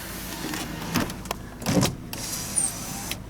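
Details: 2000 Ford Crown Victoria P71 Police Interceptor, about 117,000 miles: short power window motor whirs with clicks and end-of-travel thump, steady pitch; window works normally (passenger-side windows don't work).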